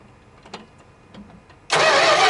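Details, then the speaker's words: Dodge D100 stepside first start after a decade sitting, Marvel Mystery Oil in cylinders, fuel tank emptied, fresh gas: faint long cranking, then it catches abruptly into a loud, ragged roar, apparently on about three cylinders; owner suspects a massive vacuum leak. "all right looks like we're running at least on three cylinders or so that's good [Music] sounds like we have a massive vacuum leak somewhere"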